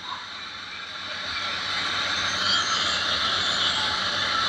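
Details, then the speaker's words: Nissan Navara D40 YD25 diesel arriving with heavy white smoke and noise: harsh high turbo hiss with scraping, rushing edge, crackling like metal clashing inside; turbo shaft bearing worn, wheel rubbing. "So yang kedua bunyinya kasar bunyi ada bunyi pecah ada bunyi crack macam besi beraga di dalam Enjin seolah-olah macam tulah"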